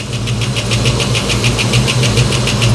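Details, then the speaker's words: 1989 Mustang LX 5.0 V8 warming up after about 3 years sitting, temperature gauge rising, new injectors fitted: sharp regular ticking about six per second over steady idle; top-end tick suspected, source not pinned down. "what is that racket I I just I'm gonna have to get a stethoscope dies or a piece of pipe and try to listen to this thing"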